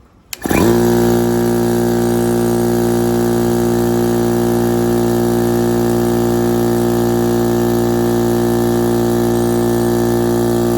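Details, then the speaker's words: Air compressor that trips the house breaker every time it fills, before its capacitor repair: the motor spins up fast into a steady hum with a strong fixed tone and runs under load, then the breaker trips. "I have a problem with my air compressor. Every single time when I try to fill it up, it breaks the fuse."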